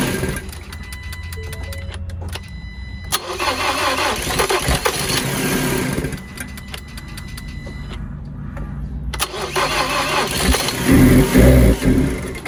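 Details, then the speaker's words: Salvage 2019 Ford Transit Connect being rebuilt: cranks and catches but stumbles, drops out and picks up unevenly instead of steady idle; rough running after start, owner attributes it to vacuum lines and other items still disconnected. "so good news it starts bad news it's having its issues right here is one of them this and that and this out right here"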